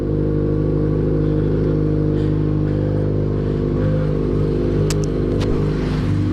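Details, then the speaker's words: Yamaha XJ6 motorcycle idling: an uneven light clatter ticking over a steady hum, a strange engine noise that started suddenly; cause unknown, and the owner is unsure whether it is normal for the XJ6. "Mas é isso só para falar para vocês que que o motor da motoca tá fazendo um barulho meio esquisito"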